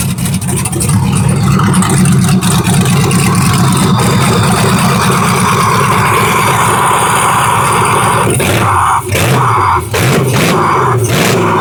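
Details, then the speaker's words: Truck after injector install, first start: it catches and settles into a loud harsh steady run, then barks through sharp blips, a V8 with no exhaust fitted. "Too loud. Too loud? Well, we'll have to put an exhaust on it, baby, but damn. That sounded good."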